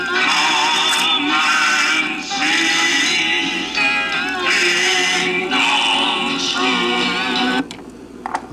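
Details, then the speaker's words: 1978 Fisher-Price children's record player, thrift-store find, playing a vintage kiddie record before restoration: pitch slowly sags and rises, serious speed wow; owner suspects it needs disassembly and lubrication, unconfirmed. "some serious uh wow to it so uh I'm thinking thing needs to be disassembled and maybe lubricated up"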